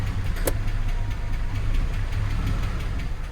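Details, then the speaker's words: 2000 Jeep Cherokee XJ petrol engine, warmed up: low, uneven, loping rough idle, with ticking heard earlier; coolant in the oil is suspected. Oil pressure drops and the engine is shut down. "oh she's running rough the engine got a little bit warm it's pretty rough"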